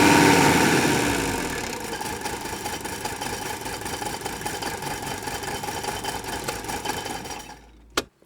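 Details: Loud start settling into a rough idle with a steady metallic rattle over the clatter, from a worn A/C compressor pulley, on an old car started the day after an "Italian tune-up" hard mountain drive; idle still not much better.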